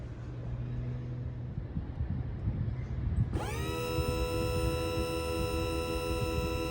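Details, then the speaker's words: Malibu boat (2015–2019) surf gate calibration pulling the electric-over-hydraulic rams in; quiet, then a sudden motor whine rising briefly and holding steady pitch — normal surf gate actuator retraction. "So what this system does is you push calibration to begin, and it will pull the surf gate rams in, and you'll hear an audible noise from the surf gates causing them to pull in."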